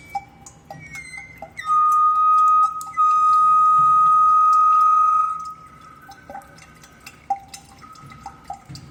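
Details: Faucet that keeps dripping: steady drips, then a piercing high-pitched whistle holds a few seconds before fading back to drips. Owner suspects an aged rubber washer or a faulty ceramic valve cartridge; unconfirmed.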